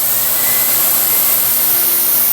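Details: Modified Pro Cut variable-speed belt grinder at sharpening speed with mister and extraction running: loud constant rushing airflow with high hiss, steady, no surging or rattles; running normally.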